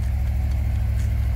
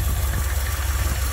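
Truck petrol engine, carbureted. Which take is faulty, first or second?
second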